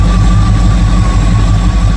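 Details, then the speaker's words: 1958 Chevrolet Apache V8 after rebuild: deep steady idle rumble with faint constant hum, no stumbles; normal idle. "Thing runs perfect, timing's perfect, carburetor's perfect. It's ready to go."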